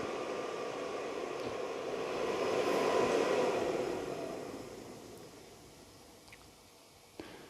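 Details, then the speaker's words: New VEVOR diesel heater, first start in a cold workshop at 13 degrees: pump stops, fan ramps up blowing cold air, then slowly winds down to quiet with no combustion roar; ignition failed, heater went to SLP. "Fan's really ramping up now. It's blowing cold air into the workshop, which is not a good thing. Still on 13 degrees. Can't actually hear it firing yet."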